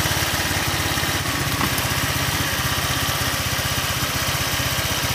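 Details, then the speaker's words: Old Honda Vario 125 with radiator coolant boiling and fast coolant loss, after valve clearance readjustment: steady idle with light, fast, even ticking; rocker arms/tappets already somewhat worn, valve train still noisy. "Kalian saja saya coba untuk setel ulang klepnya karena tadi kan berisik, meskipun sebenarnya ini templarnya sudah agak oblak ya, mudah-mudahan bisa sedikit lebih halus."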